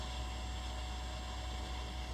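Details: Watercooled garage PC after swapping soft tubing for hard line, running about two hours with pump on setting five and no leaks: steady, even hum with a faint constant high tone and no surging or rattle.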